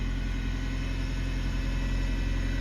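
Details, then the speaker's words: 1999 Honda Civic that stalled on throttle when warm, just after new ignition wires, cold: deep even rumble at a steady idle with no stumbles; started way better than before. "okay it started up way better than before um"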